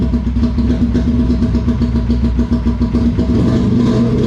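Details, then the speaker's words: VF V4 motorcycle after a cold start with no choke; steady, even idle pulsing about three to four beats a second, a bit loud at the exhaust but clean; healthy cold idle. "God damn it sounds good it's a little bit loud though I'm going to quieten it down just a tad"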